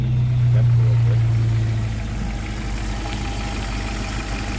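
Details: Jeep TJ, hot restart after connector check while scanning for O2 sensor codes, not in gear: catches and settles into steady even idle, low smooth beat, no misses; sounds healthy.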